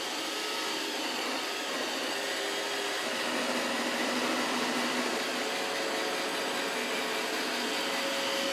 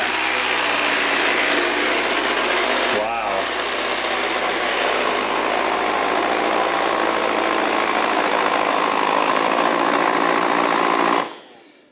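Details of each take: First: iRobot Roomba 692 random-navigation robot vacuum on automatic mode, starting a 30-minute obstacle test. Smooth, even high fan whir with steady brush hum, no rattles or strain; running normally. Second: iRobot Roomba 692 robot vacuum after running over a charging cable: steady motor roar with uneven rubbing and strained roller note; debris knotted in the brush rolls slowing and jamming them.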